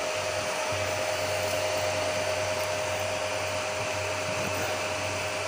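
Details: Home-built 15 A CT 55 power amplifier with cooling fans and an MCRD V2 driver: constant airy whoosh with a faint steady tone, no rattle or wobble; the cooling fans spin normally.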